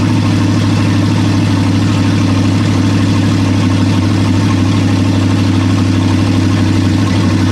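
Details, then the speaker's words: Toyota 1UZ-FE V8 bench start, abused engine with oil leaks: steady, even idle with smooth low rumble and no knocks or misses; normal idle. "it it runs man I love this [ __ ] and it sounds cool as hell"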